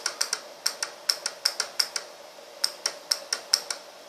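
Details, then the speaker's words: Relay in a relay buffer gate circuit, with a push button driving the coil and an LED on the load side. Crisp dry clicks in quick bursts, about four a second, as the contacts close the load circuit; normal relay switching. "did you hear the clicking sound of the relay that is the contact moving closing a circuit to the other end to the other terminal"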